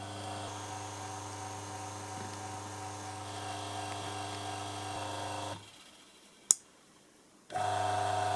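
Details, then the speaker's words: Eta Siesta bread maker that wouldn't mix, under test: even steady hum drops out about two seconds then returns, normal kneading drive. "previously the motor was running in pses now it's running continuously and this happened after several minutes"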